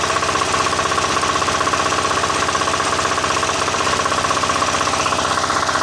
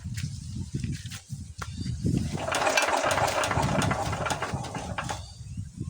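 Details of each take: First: Diesel engine that wouldn't start, after refitting the injector pump and bleeding fuel from the line: even, steady diesel beat about four pulses a second with no misses or knocks; now running cleanly. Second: Diesel engine that won't start: irregular chuffing cranking beats with a brief rough burst that never settles into running; the nozzle still sprays but weakly, and the worn injection pump delivers too little fuel, so it is being replaced.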